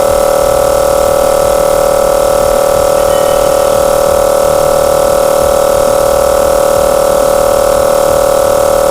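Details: 25 L air compressor after its head was cleaned, reset and refitted, filling the tank on test: steady unbroken constant-pitch hum with no knocks or rattles; shuts off correctly at set pressure, normal running.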